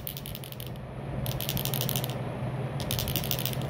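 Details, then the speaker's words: Tata BS4/BS6 diesel fuel system, fuel metering unit removed and shaken or tapped by hand: a light metallic tick-tick rattle inside shows the element moves freely. A jammed-open element causes repeated PRV leakage; jammed-closed gives no diesel pressure. "यह आप शायद आवाज सुन पा रहे हैं टिक टिक की आवाज आ रही है अंदर इस तरह से इसको हम कहीं ठोकेंगे हाथ पर तो ये एक अंदर से टिक टिक की आवाज आनी चाहिए अगर आती है तो हमारा एलिमेंट फ्री है"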